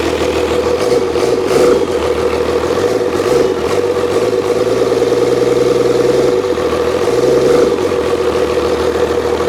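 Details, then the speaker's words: Old 12-valve Cummins diesel stored for almost a decade, first start after freeing a seized fuel solenoid. Even diesel clatter at steady idle with a few smooth throttle blips settling back cleanly; doesn't sound bad, though idle not set properly. "idle's not set properly either that's alive actually doesn't sound bad I don't know that's too tight one"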